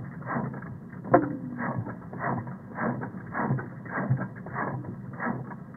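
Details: 2002 Honda Civic 1.7L 5-speed, recorded through a custom knock sensor setup on the block: uneven thudding bursts about twice a second with a sharp clack among them; misfire with knock, misfiring cylinder identified from this recording.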